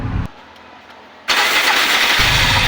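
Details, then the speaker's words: 2021 Bajaj RE three-wheeler that would not start, after replacing the fuel filter: after a quiet pause the engine catches instantly and runs strong and even with no stumbling; clean, healthy start. "Ayun umandar na"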